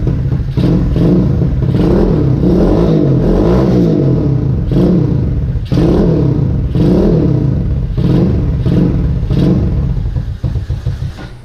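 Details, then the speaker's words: Vader 125 Grom-clone single-cylinder motorcycle with a newly fitted exhaust, baffle in: repeated throttle blips rising and falling on a deep, smooth, not raspy note, no rattle; healthy exhaust sound under revving. "It sounds good. I like it."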